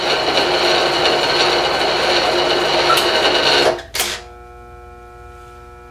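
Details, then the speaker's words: Bridgeport mill on a static phase converter: machine hum cuts out, then sharp metallic clicks with brief ringing a couple of seconds apart; converter contact points sticking, freed by tapping the phase converter if they don't release on their own. "that's the points if you listen they'll probably unclick usually sit here a little bit and if they don't you just got to tap the you have to tap the phase converter"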